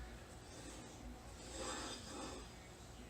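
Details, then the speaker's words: 2008 Ford Fusion rear brake, wheel turned while lightly applying the caliper-integrated parking brake: rough scraping grind rising and fading; something suspected caught behind the backing plate. "making that noise though definitely on this side I'm thinking something is caught behind the backing plate"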